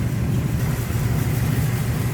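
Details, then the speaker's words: 1935 Ford Model 48 flathead, recorded at the rear by the exhaust, after fuel system and carb service: soft even idle burble, steady beat, no ticking or puffing; doesn't sound like any exhaust leaks, healthy. "What you expect a flathead to sound like? No crazy exhaust. Doesn't sound like any exhaust leaks."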